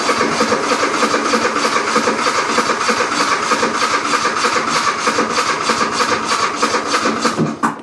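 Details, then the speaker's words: Riding mower or zero-turn that runs fine once started: steady starter churn about three turns a second with no catch or firing, then stops; cranks but won't start because the choke isn't closing. "This thing will continue to turn and turn and turn. Every now and again you can get it to fire up, but it's very rare that that'll happen."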